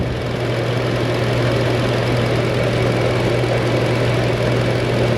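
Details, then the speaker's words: Car previously showing lean code and fuel trims up to 40-60%, restarted: steady, even idle with no misses; running decently, trims now around 3-4%. "Let's fire it up and give it a minute. It's actually running pretty decent right here."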